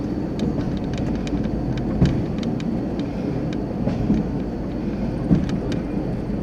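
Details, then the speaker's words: High-rail vehicle under 10 mph on a 4-degree curve near MP 109 with 5-inch superelevation, before tie restoration, camera on the dashboard: steady rolling rumble with sharp irregular bangs about every second from the rail joints and ties. "the audio will pick up the noise and that's good that they can hear the banging i think why it had to be restored"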